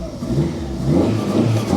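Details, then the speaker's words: Ford Ka small petrol engine after fixing snapped exhaust manifold studs and refitting manifold, heat shield and sensors: revs smoothly and quietly with no rattle or clatter, which it had before. "That sounds amazing. It used to rattle and clatter around. That's a huge improvement just by sound."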